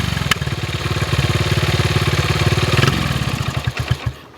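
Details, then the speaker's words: 1974 Honda XR75, 48-year-old single, with new replacement carb: uneven lumpy beat about three pulses a second that stumbles and dies; barely better than old carb, cause suspected, not confirmed. "it really doesn't sound much better than it did with the old carb"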